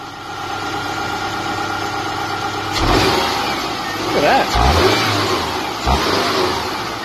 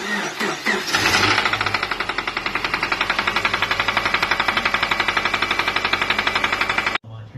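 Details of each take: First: Subaru EJ boxer engine with bearing knock, recorded after a bearing oil treatment was added and left overnight: steady idle, then a few quick revs with no clear knocking. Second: Subaru EJ boxer engine cranking, starting and idling with a steady rhythmic bottom-end bearing knock before shutdown. Recorded before an oil-additive bearing fix was poured into the oil filler.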